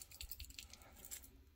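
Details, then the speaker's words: A loose, tinny rattle as a removed Whirlpool refrigerator start relay is shaken, a sure sign it is broken inside; fridge not getting cold, relay pulled from the compressor at the bottom rear. "broken inside that's a that's a surefire sign"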